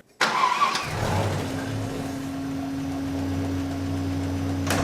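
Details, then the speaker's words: Holden ute on its original engine, reconditioned once at about 320–350,000 km and run another 80–100,000 km since, using no oil. It starts quickly and settles into a smooth, even idle with no knocks or ticks. Normal idle. "I think it's running better now than brand new does not use any oil Etc so I'm happy re that's done a magnificent job so as you can hear it's ticking over like a new one"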